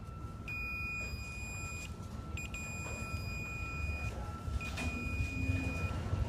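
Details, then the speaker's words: Stanley 2150 sliding door operator, linear drive, meter on continuity across DC drive motor leads: steady meter tone cutting out and returning unevenly; intermittent stalling traced to worn brush shunt in motor, brush needs replacing. "you can hear I get continuity and non-continuity this has been an intermittent problem that I've been looking for for a while"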